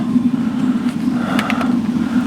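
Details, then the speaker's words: Suburban RV water heater on propane, trailer unused for a couple of years, tank possibly empty of water: after a short ignition delay with possible air in the line it lights with a blue flame and an even, steady roar, no popping. Normal burner operation. "there'll be a little delay it should try to ignite let's see what happens still may be some air in that line there we go we have blue flammage"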